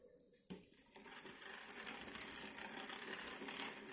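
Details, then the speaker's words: STELS 650 bicycle at first service: stretched chain has worn sprocket teeth evenly, so shifting to the smallest rear cog gives harsh, uneven rattling chatter and strong vibration, quieter on the next cog up. "представляете цепь растянулась и стерла все зубы настолько равномерно что при переключении на самую маленькую звезду сзади появляется огромное с"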